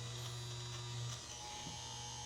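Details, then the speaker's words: RV transfer pump on a water bladder setup during boondocking prep: steady low electrical buzz with no load change, not pumping while it overheats and smells of burning; failed pump. "It doesn't sound like it's pumping. It sounds like a broken pump."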